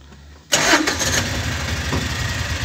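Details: 2011 Kawasaki Mule 620 4x4 fuel-injected, warm engine: quick crank catches at once and settles into a steady, even idle around 930–1000 rpm with no knocks or misses; normal start and idle.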